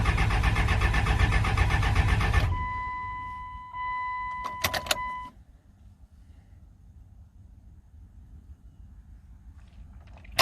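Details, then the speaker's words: 1999 24-valve Cummins diesel, first start attempt after sitting over 2 years, on a trailer with injector lines cracked and the lift pump running. The starter churns steadily for about two seconds with no firing. Cranks without starting; little diesel is reaching the injector lines. "I hear the lift pump running, so that's good. Not seeing a whole lot of diesel coming out of the lines."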